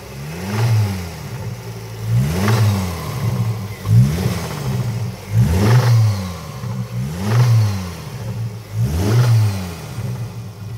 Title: Focus ST225 engine noise, suspected broken piston skirt, 100% not crank, it's a tap not a knock